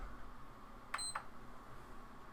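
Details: PS5 that normally blue-to-white flashes, beeps three times and shuts off, here tested with a donor part plugged in: quiet room, one brief high beep, no repeated beeps; the console powers on normally without the shutdown sequence.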